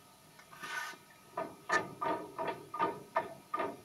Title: small play making noise when tables moving